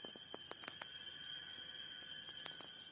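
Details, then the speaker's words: Alfa Romeo Spider 2000 cylinder leak-down test, engine stopped: about 100 psi fed in, and a thin steady hiss shows number four leaking badly, holding about 12 psi versus 90 on number one. Air is heard at the exhaust, pointing to a valve leak. "there's number four right there number four is leaking you can hear it number four is actually leaking pretty bad"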